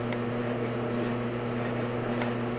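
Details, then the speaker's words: LG DLE2516W clothes dryer after replacing worn, degraded drum roller wheels that caused a thump-thump: steady even hum with no thumping or knock; the dryer runs quietly and healthy. "okay silence that works really well sounds so much better so that's a success"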